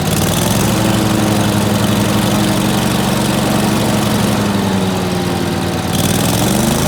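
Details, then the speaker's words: Dixie Chopper walk-behind zero-turn mower, sat all winter, after clutch repair (one loose wire at clutch connector fixed): strong even engine drone at steady speed, clean regular beat, no misses or knocks; normal running. "all right yo this thing is fixed I was kind of expecting to have to pull the clutch but luckily the connector is right down there on the clutch and uh just had that one wire loose"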